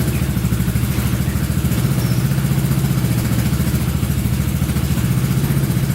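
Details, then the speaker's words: Honda Big Red ATC 200 (200cc) three-wheeler, barn find sat over 6 years, carburetor just reinstalled: steady, even single-cylinder thump with a light lift in revs as a bit more gas is given, no misses or knocks; normal idle and revving. "Oh yeah, sounds pretty good. A little bit more gas in it, see what happens."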